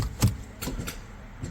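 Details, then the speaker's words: 2.0L turbo petrol car on a not very cold day: a few sharp, irregular clicks with no cranking when trying to start, the starter clicking from a flat battery before a jump starter is connected. "First, let's try to start the car. Nope, you could hear it. It tried, but nothing."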